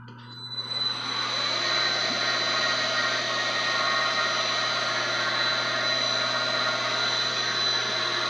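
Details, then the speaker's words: IH clone CNC mill with a dual-range variable-speed head, first spindle test: the spindle spins up in about a second, then holds a smooth, steady high whine with no knocks or roughness; runs clean. "Let's see if we can get the spindle a try."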